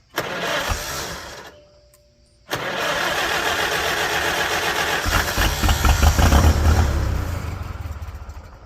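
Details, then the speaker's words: 1946 International Harvester Farmall H, first start after repairs: short burst, pause, then uneven firing that chuffs along with cranking and dies away; harness wired on the starter side, so ignition is powered only while cranking. "Because it's only sparking when I turn the starter. Yeah, that's what I did wrong."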